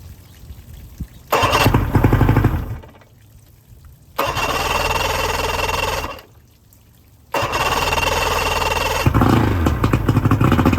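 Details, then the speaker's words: 125hp Mercury outboard on 1999 Bayliner Capri during rebuild, extra oil in fuel since oil injector untested, warming up for thermostat: fires and settles into steady, even idle without misses, a little low; telltale works, normal idle. "Low. Huh? The idle's a little low."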